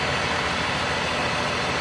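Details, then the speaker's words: Idling engine with a vacuum hose patched with electrical tape: opening the leak brings a strong steady hiss, a tone change and a rough idle that dips and tries to stall. "the noise changed like tone and the engine starts to uh respond to [Applause] it there we go I could definitely here and feel it there you go the engine is responding to me opening up that vacuum leak and look at it trying to stall"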